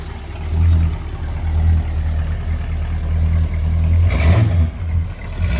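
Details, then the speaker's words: 1968 Dodge Monaco 500 with 440 Magnum V8 on a new TTI exhaust with H-pipe and Dynomax street turbo mufflers: deep, steady idle burble that swells smoothly on each throttle blip and drops back cleanly. Healthy. "All right, we finally got it started. Listen to this thing purr."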